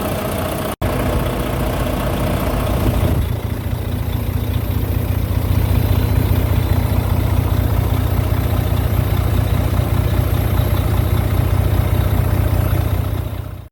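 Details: Volvo D13 semi-truck engine restarted after a repair for a loud knock: steady, even diesel idle with a smooth low rumble and regular firing, no knocking; healthy.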